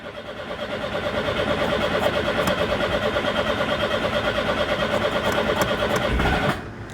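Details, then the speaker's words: Citroen GSA with air-cooled flat-four, first start after sitting through a wet winter: steady cranking at about three turns a second with no catch or firing, as fuel is not yet getting through. "oh there we go we're starting to get some fuel through"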